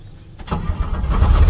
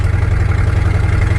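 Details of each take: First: Barn-find Chevrolet C10 V8 warm start after adjusting the distributor to correct suspected timing; quick crank, catches at once into a deep, steady rumble with no starter drag, a clean healthy start. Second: Once-abandoned square-body Chevy C10 cruising on a dirt road: loud, deep rumble with rapid puffing pulse heard in the cab, too loud; leaking exhaust header needing repair.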